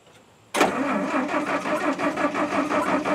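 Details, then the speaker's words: International R-185 fire truck, first start after sitting about six years, choke open: starter churns about three beats a second but engine never fires; crank no start, spark lost again, suspected dirty ignition points. "I think my spark stopped again for some reason huh he's gonna start I know but I I think them points are so dirty"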